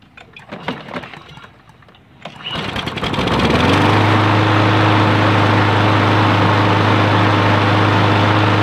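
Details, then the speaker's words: John Deere lawn mower with Briggs & Stratton engine that wouldn't start after storage; the clogged carburetor bowl plug was cleaned. Starting fluid was sprayed in with the air cleaner off, and after a few pulls it runs at a steady, even drone, normally. "see that's all it was is that little plug on the bottom of the carburetor was clogged up so now we've freed it up the gas is flowing freely and running just fine"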